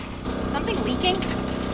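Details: 1941 Dodge 3 Window Coupe with Mopar 440 big block: steady rushing gush of liquid over a low engine rumble just after start-up; coolant pouring out through a blown freeze plug.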